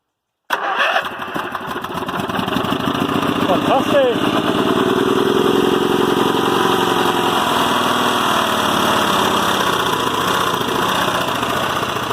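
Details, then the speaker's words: Westwood Gazelle W11 ride-on mower engine, spark plug found completely sooted: catches after brief cranking into a loose, slightly uneven chuffing run, bogging under load; rich running mixture from the carburetor. "the spark plug was that completely suited up so I was definitely running farty rich"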